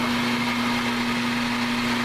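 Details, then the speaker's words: Lathe drive brought up from its lowest speed; motor hum changes pitch smoothly with an even tone and no knocks or rubbing. Normal running. "and then as i bring it back up you can hear it change pitch it's flat sailing"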